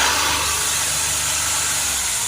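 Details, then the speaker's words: Mercedes E350 V6 CDI diesel with high DPF soot readings, revved: loud steady rushing hiss of pressurised air escaping, spray deflected by the leak; air leak, exact point not yet found. "There's a massive leak here somewhere. So you can hear a massive air gushing out of here, and when you spray the spray you can see it's been deflected away."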